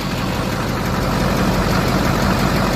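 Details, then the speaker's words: LBZ Duramax diesel truck idling just after installing an HSP turbo mouthpiece; listening for hissing. Steady idle, even low clatter, no hiss or whistle from intake, so no boost or vacuum leak: normal idle. "Okay. Sounds good. Just listening for any hissing noises."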